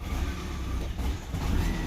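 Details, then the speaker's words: 2012 Peugeot 208 1.4 VTi with hard starting and stalling, no codes: exhaust camshaft dephaser disconnected and adaptations not yet relearned, giving an uneven, sagging idle that dips and wavers over a low rumble. "Exhaust dephaser disconnected. Oh dear, I don't know how he's gonna run. We might gonna have to relearn all those things. Let's. It's running a little bit bad."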